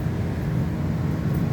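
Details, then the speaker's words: 2019 Micro Lite camper ducted rooftop air conditioner, thermostat switched to cool with temperature lowered: steady low rumble and blower roar overhead, even with no rattles; starts and runs normally. "While we're here, we can turn the air conditioning on. That's on the roof."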